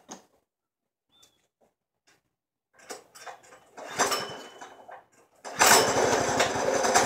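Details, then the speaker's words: 212 Predator engine in a golf cart build with a torque converter, on its first start after the fuel tank was plumbed and primed: it catches and chugs with uneven, stumbling firing. It runs rough, and the owner suspects the carburettor idle screw is not set. "all right so it is running pretty rough but I think that something do it maybe I don't have the idol screw tightened up"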